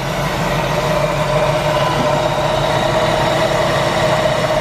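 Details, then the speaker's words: Jeep YJ 258 4.2L inline six after swapping on a 4.0L cylinder head, with a slotted power steering bracket: steady, even idle with a smooth unbroken hum and no knocks or misses; runs clean and healthy. "Well, you can hear it. It runs nice and smooth. Very much worth the upgrade. Runs great. No problems at all."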